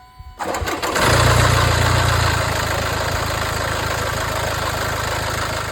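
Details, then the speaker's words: Land Rover Discovery Sport 2.0 diesel (Ingenium) on the day's first cold start: cranks and catches, then a loud fast metallic rattle over idle from a worn timing chain, worsening and recurring more often over time. "Esse problema está relacionado à corrente de distribuição desse motor ingênio. Esse problema começa normalmente na primeira partida do dia e ao longo do tempo ele vai se intensificando, acontecendo mais vezes."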